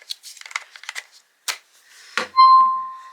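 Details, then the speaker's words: SimpliSafe outdoor camera, battery just inserted: a few handling clicks, then a clear, pure beep that slowly fades away; normal power-on chime. "And you'll hear the nice little thing when you turn it on."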